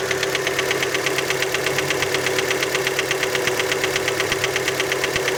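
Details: Fiat Panda engine after a cold start: a sharp, even mechanical tapping, about three per second, over the cold idle. Many suspect the piston skirt, but this is unconfirmed.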